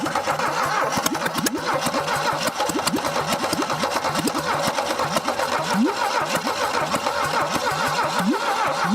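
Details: 1968 SAAB abandoned for decades in Texas woods: sluggish, uneven cranking churns on without a single catch.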